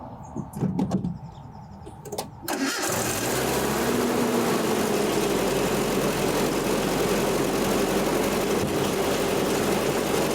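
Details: 1984 Nissan 720 pickup, Z24 four-cylinder, after replacing possum-chewed spark plug wires: brief cranking, then it catches and settles into a steady, even idle with no misses or stumbles. Normal start and idle.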